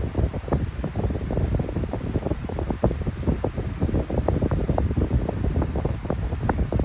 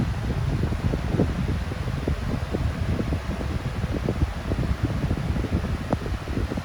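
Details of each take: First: Unbranded 12-inch electric fan starting up and running, low hum with rapid irregular ticks and rattles from worn motor bearings that were oiled before but went bad again. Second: Steady, even low rush of air with no ticking, rubbing or wobble from a no-name 14-inch high velocity fan running smoothly at high speed, full power, still running well after years.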